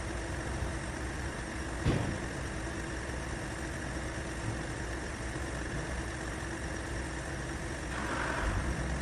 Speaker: Now, if you listen closely to the sound, you can hear that it's a lot smoother. And there's less sounds of straining, and there's no squealing.